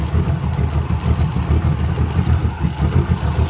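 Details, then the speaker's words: 1966 Toyota Stout engine with all new oil, running while the old tank is pumped out into a bottle. Steady, even low chug at idle with no knocks or ticks. Quiet and healthy. "definitely happy she's quiet as a mouse now that she's got all new oil in her"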